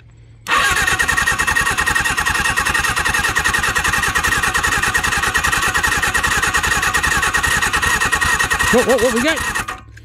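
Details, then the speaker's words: Seized Suzuki GS750 motorcycle, sat since 1983 and last run 41 years ago, cranked on the starter: steady churning for about nine seconds that almost catches but never fires; cranks, no start. "oh that almost sound like it was going to go for a minute there"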